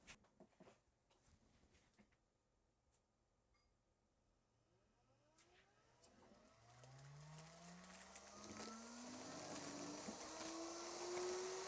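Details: Mini Pak'r air pillow machine, previously not feeding film, after replacing dull blade and worn belts: quiet clicks, then motor spins up with a steadily rising whir as film starts feeding; running normally after repair.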